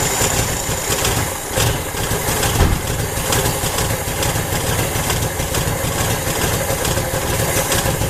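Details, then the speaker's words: Junkyard 1980 Honda Accord, after a Redline K724 Weber 32/36 electric-choke carb conversion, untuned and cold: uneven stumbling idle with dips and surges, seemingly missing on a couple cylinders; running rough, cause not confirmed. "Sounds like it's just terribly messing with a couple cylinders. Doesn't sound the mintiest in there."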